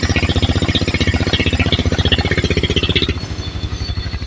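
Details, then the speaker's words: Honda Vario 150 (old model) scooter, freshly reassembled engine just started for the first time and running in: steady even putter at idle, regular firing, no knocks or rattles, healthy. "Oke akhirnya berbunyi mas motor ini ya oke motor sudah berbunyi"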